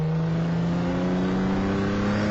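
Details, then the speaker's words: 1988 Ford Bronco II, still cold after about 3 minutes running, accelerating from a stop to 35 mph: smooth drone with steadily climbing pitch and no stumble, knock or miss; owner says it runs badly only once warmed; normal acceleration. "that's how it sounds when it's totally cold runs my opinion like a [ __ ] Champ"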